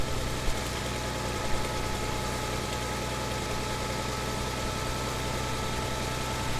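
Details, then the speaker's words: 1962 Farmall 560 tractor after carburetor cleaning with no adjustments or new parts: starts right up into a steady, even idle with a smooth low beat and no knocks or stumbles; normal idle. "she's starting right up you can see runs like a runs like a top so our clean in without any adjustments or without any uh new parts in this case worked"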